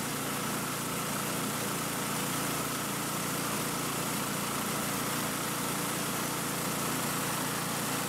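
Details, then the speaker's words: Ariens Compact 22 snow blower repowered with a Predator engine, checked with a small-engine tachometer: steady, even high-pitched governed drone at 3500 rpm, within ±100 of the 3600 rpm spec, no hunting or surging; normal governed high-speed run. "okay so as you can see we got it to 3500 rpms it's hard to kind of juggle everything but i didn't want to take it any higher because it already sounds like this machine is going fast enough as it is"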